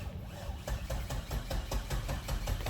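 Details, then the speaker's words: Nissan 240SX S14 with LS1 V8 swap and T56 six-speed, abandoned several years: even starter churn about five compression pulses a second, turns over but never catches; fuel pump not heard kicking on, suggesting fuel delivery problem. "Sounds great still, cranking. It's been a few years since that's turned over. Can you hear? I didn't hear the fuel pump even kick on though."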